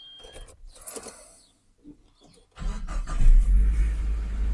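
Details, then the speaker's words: Nissan Frontier pickup, cold start after sitting almost two weeks; keys, quick crank and catches straight away into a deep steady idle, fires up every time, normal. "It fires up every time. It's been sitting for what, a week? Uh, almost two weeks."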